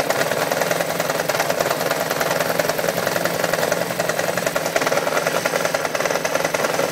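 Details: 1993 Yamaha XJ600 motorcycle idling with a busy, rattly knock and a mystery oil leak; cause unclear.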